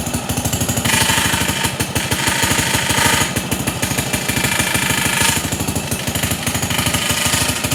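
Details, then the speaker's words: Pond lever-steer tractor, small single-cylinder magneto engine just started after adding idle fuel: rapid chattering beat near three per second with a scraping edge; suspected too-long clutch bolt, actually pressure plate fingers rubbing the bell housing. "he did tell me about that noise he thinks that there's a bolt that's in the clutch that's a little bit too long"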